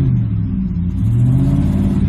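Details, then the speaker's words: 2007 Ford F-150 5.4L 3-valve V8 brake-torqued in gear under load before a road test, after the cylinder 2 plug was fixed: a deep, even rumble that climbs smoothly, with no more cylinder 2 dropout. "let's go on a road test but first let's go ahead and break torque it kind of load it up a little bit"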